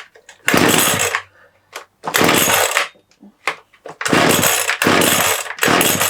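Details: TITAN two-stroke hedge trimmer, reassembled with its broken handle glued, blipped repeatedly while warming up; each rev climbs crisply and drops cleanly back to a low tickover without stumbling; runs properly.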